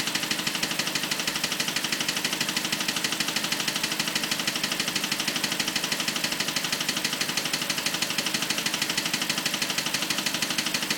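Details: BMW 545 at idle: sharp, even ticking at about three clicks a second rides over a steady idle; clicking fault whose source isn't pinned down.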